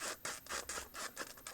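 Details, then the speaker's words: Tokyo Marui AA12 airsoft gun: short dry squeaks and scratchy rubs, about four in under two seconds, as the plastic body flexes when squeezed in hand; plastic body creak. "anyway you hold it if you're just like playing right and you squeeze it you can hear all sorts of squeaks and that's kind of like I know it's got to be plastic but it could have done something about it"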